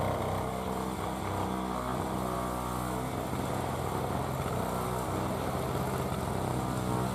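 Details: 2003 Murray single-stage two-stroke snow blower, first run in 5 years, clearing snow: a steady, even buzz that holds its pitch under load with no misses or surging; normal two-stroke running under load.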